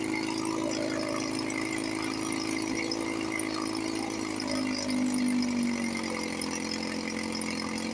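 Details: 1954 Johnson 5.5 HP two-stroke outboard after restoration (cylinder head, water pump, carburetor work, linkage, starter). Holds a steady, even buzz with no misses or surging. Normal running, then out of gas.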